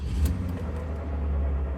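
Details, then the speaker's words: 2005 Ford Freestyle, old SKP iridium spark plugs from previous owner, new coils; deep idle rumble with an uneven, lumpy pulse heard from the tailpipe, engine shaking; misfire traced to a faulty spark plug, fixed with Motorcraft SP433X plugs. "Oh yeah, definitely have a miss here. You can kind of hear it out of the tailpipe."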